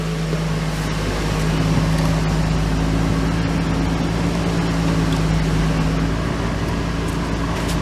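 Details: 2002 Lexus IS300 after clutch, throw-out bearing, pilot bearing and rear main seal replacement, on jack stands: smooth even low idle hum with steady tone, no knocks or rattles; engine healthy.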